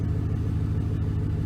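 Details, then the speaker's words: 2006 Chevy Silverado 1500 4.8 V8 after oil pressure sending unit replacement: smooth, steady idle with a low even rumble, no ticks or knocks; gauge now reads 40 psi oil pressure. "so now it's gonna start it up and hopefully we should build oil pressure hallelujah the 40 psi that's pretty good"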